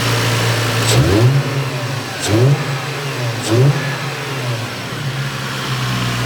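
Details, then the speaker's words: Lexus IS300 with 200k+ miles after engine refresh with timing belt kit, leak and wiring repairs: smooth steady idle with three crisp throttle blips rising and settling cleanly, no ticks or knocks, running perfectly. "all right boys after three long grueling days of working on maritz's car we got it running perfectly you can hear it sounds nice and smooth"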